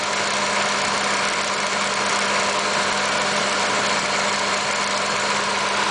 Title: 1986 Nissan 300ZX turbo ticking/buzzing noise